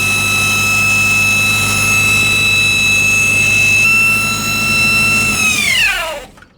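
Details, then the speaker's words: 1965 El Camino after fuel pump replacement, running well: a piercing steady scream rides high over the engine, pitch sliding down as it shuts off; new pump didn't fix it, owners suspect the distributor. "Oh man. Jesus. That's ear piercing."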